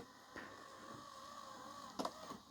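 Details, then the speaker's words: Hitachi 32-inch LCD TV/DVD combo (model VC326000) DVD loader after repair: quiet, even loading-motor hum with light clicks as the disc seats, smooth travel; stops and ejects nicely, gear not slipping; normal disc loading. "Let's hit um eject. Stops the disc and eject nicely."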